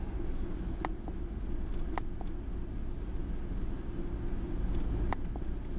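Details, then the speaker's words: Ford F150 4.6L V8 with code P0402 and a low, poor idle, on a cold start after sitting about an hour (ECT 124°F): shaky, lumpy idle with occasional sharp ticks; rough idle from a clogged EGR vacuum solenoid filter. "all right truck started you probably can't hear it but I can feel it it's shaky this cold start right now"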